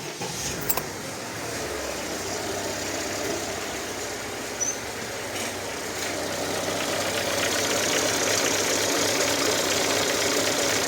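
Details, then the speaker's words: VAZ 21214 Niva 4x4 Legend at idle, quick even tapping about four per second; slack timing chain suspected, guide/damper worn on bushings, tensioner intact, valves heavily carboned. "Ну это цепь это сейчас цепь и натянуть надо"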